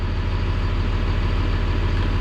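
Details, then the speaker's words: CAT 336 excavator reported not starting in cold, about 0 degrees: cranked slowly but fired up and settles into deep steady rumble with even firing; mechanic suspects slow cranking in colder weather may prevent HEUI pressure building. "And it fired right up. That's a classic."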